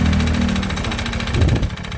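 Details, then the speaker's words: Honda Beat FI scooter at light throttle runs harsh and uneven with a coarse knocking edge, with smoke from the exhaust, burning oil; top-end engine teardown needed. "nah teman-teman bisa dengarkan nah beginilah suara mesin motor Beat ini kasar apaba dihidupkan ya dan juga yang kedua itu keluar asap di galpotnya berarti motor ini makan oli ya"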